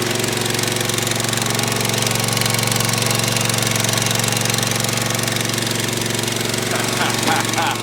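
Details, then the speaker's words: Gravely ZT HD 52-inch mower, Kawasaki FR691V 23 hp V-twin, just started after head gasket replacement, choke on, full throttle, air filter off: steady even drone with smooth firing and no knocks or misses; running healthy. "Oh, buddy, listen to that sucker roar. You hear she's running real good."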